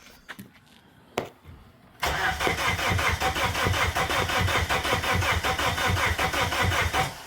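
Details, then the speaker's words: Abandoned Plymouth Neon, sat at least 8 years: steady starter cranking about five seconds with even compression pulses, engine never catches; owner unsure whether the injectors are pulsing; crank no-start. "yeah it ain't still a doing nothing"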